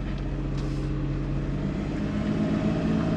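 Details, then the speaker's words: Suzuki Kei Works 4WD after viscous coupling replacement, backing up: smooth low road hum, no rhythmic "gogogo" rumble or grinding that reversing used to cause; driveline now quiet and healthy. "前はね、このバックをするとねすごい音がなってたんですよゴゴゴゴ―ってそれが無いな！"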